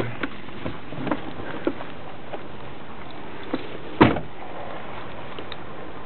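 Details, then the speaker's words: 2000 Toyota Solara SE i4 after replacing all engine and transmission mounts, idling in reverse with e-brake on: scattered light clicks and a heavier clunk, almost gone in drive, gone in park; source not located. "okay it's obviously in there but it's uh I cannot listen I cannot locate the sound um by looking under the hood okay shifting to drive it's almost gone now shifting to park it's gone completely shifting again to reverse it's there again"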